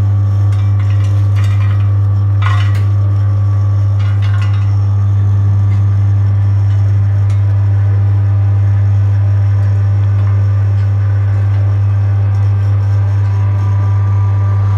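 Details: Maksindo MKS-J05 grain and seed oil press, started after a roughly 10-minute warm-up because pressing uses heat, then fed material; strong steady low motor hum with light clinks as the press runs evenly and sounds healthy.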